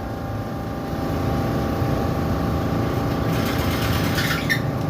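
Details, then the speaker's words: Small motorcycle engine restarted after oil starvation had seized it twice: busy rattly clatter with brief high-pitched squeaks at idle; customer heard noise before it died, overheat scored the piston. "oh tumutunog Ayan umiingit tay tayo diyan ikutin niyo ulit papatay nga po muna umiingit mga ka-work kasi ang sabi ng customer nung namatay daw ang tunog sa huli yun na yun overheat yun pagka ganon gasgas ang piston na yon"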